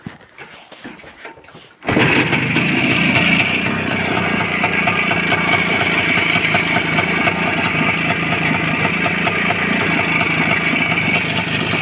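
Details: Motorcycle engine at idle with a brand-new timing chain: a steady metallic knock about three times a second after start-up; owner unsure whether the chain is faulty or normal, source unclear.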